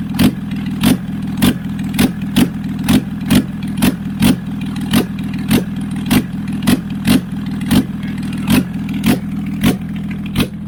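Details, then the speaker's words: Flood-affected Toyota Land Cruiser HDJ100 1HD-FTE diesel, first start after sitting, fuel had been water: rough idle with loud uneven chuffing bursts; heavy blow-by, possibly stuck rings. "yeah that's a lot of blow boy it could be stuck Rings yeah huh"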